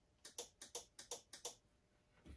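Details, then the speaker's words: Polaris Sportsman 90 ATV with aftermarket carburetor, brake set, kill switch and key on, pressing the starter button: about five sharp dry clicks in pairs with no cranking; starter relay clicks but starter does not turn. "this is the starter that they added and did away with this one you can actually hear the starter relay still click whenever you push"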